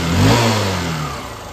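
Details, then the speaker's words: Honda Shine motorcycle at first cold morning start, blipped: revs barely rise, then sag and the engine dies, not pulling; it runs fine after warming a while; carburettor being checked. "এই দেখো বাইকটা প্রথম চান্সে accelerator নিলে bike বন্ধ হয়ে যাচ্ছে টানছে না"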